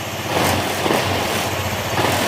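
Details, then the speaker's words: Honda ADV160 at 31,941 km, after engine overhaul with parts replaced, running without airbox: quiet idle with light airy hiss from open intake, no knocks or tapping; much quieter than before repair, normal idle. "narinig nyo parang may hangin dahil gawa kasi ng ano, wala pang airbox, pero malayo na yung tunog niya kanina nung hindi pa na overhaul o nabubuksan o napapalitan ng pisa. Yan, tahimik na."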